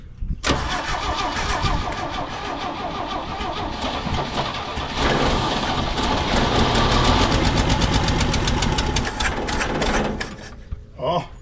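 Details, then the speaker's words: 1968 GMC C1500 pickup after 27 years in a field, manual choke, about ten seconds of steady cranking that turns the old six over but never fires; fuel not reaching it, and the battery pack is giving out. "we got to get the fuel to her we got to get her to drink it might be too much but we'll get her"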